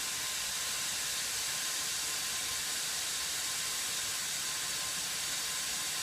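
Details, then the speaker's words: CPAP machine blower after its cracked impeller was replaced with a 3D-printed press-fit part, not yet balanced. A steady airy whoosh with a faint constant whine and no wobble or rubbing. It runs smoothly and fairly quietly. "she's whining a little bit i haven't balanced the fan yet but uh it's working excellent and to be honest the line isn't that loud at all"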